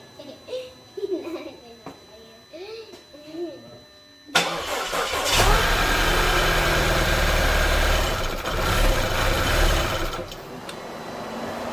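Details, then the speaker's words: Audi A4 2.0 turbo after major repairs, first start: the engine cranks, catches and runs several seconds, then sags and stops as the ECU shuts it off because no coolant is detected. Timing is good. "The ECU turned the engine off right away automatically because there's no coolant. It detects no coolant, so it's gonna telling me that it's low on coolant, so it shuts the whole engine off for the safety."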